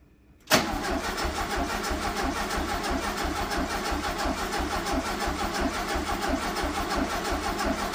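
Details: 1974 (owner believes) VW Super Beetle sat 8 years, fuel line run into a jug to check flow while cranking: the starter spins the engine at an even, steady rhythm throughout and no fuel appears. It cranks but won't start; the owner suspects a bad fuel pump.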